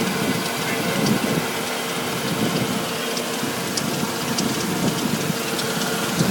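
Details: 1999 Audi S8 4.2 V8 at idle with light irregular ticks not clearly tied to engine speed; source unknown.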